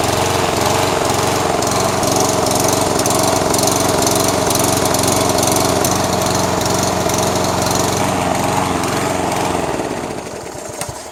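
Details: Toro SR4 Super Recycler mower, 159cc engine, unloaded with air filter back on during carburetor cleaning: runs at high speed with slight rise and fall in pitch instead of a steady note, then winds down; surging suspected to come from a dirty carburetor.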